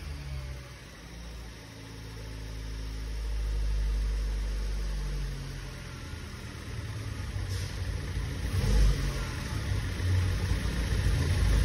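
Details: Tofaş car engine after work at an İzmir repair shop, steady idle rising cleanly when revved and settling back without stumbling, knocking or rattles; normal idle and revving, engine sounds healthy.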